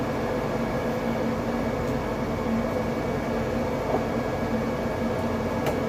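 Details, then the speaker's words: R32 Skyline with an RB engine, radiator fan run with the hood closed to check that it clears the intercooler pipe, which the fan clutch had hit before; a constant smooth hum with no ticking or rubbing, so no clearance issue. "i'm going to uh turn the fan on and close the hood uh just to see any other clearance issue and i think that there's none at this point"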